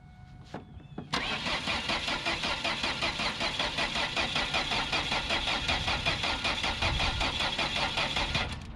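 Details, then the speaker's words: Ford Focus, about 180k, bought cheap and not running: starter cranks steadily about 2.5 beats a second without catching; no spark, broken loose wire found going to the ignition coil. "well there's the problem pretty sure we just found the problem a loose wire going straight to the ignition coil that's a heck so it's definitely broke"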